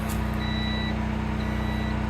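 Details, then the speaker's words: Sungold inverter on generator power, batteries stuck at 49.2 V and not charging: half-second high beeps repeat about once a second over a steady generator hum; inverter fault. "we got a fault free and we're going to have to restart the inverter to get power and we still have this consistent beep a couple times a second"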